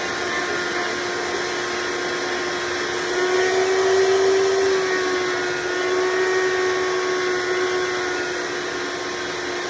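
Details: Hoover Decade Soft & Light Elite vacuum (owned since May 2024), first run after fitting 20-bladed fan impeller in place of 7-bladed, bearings greased: steady even high motor whirr, constant pitch, no rattle; noise mostly reduced but still somewhat loud.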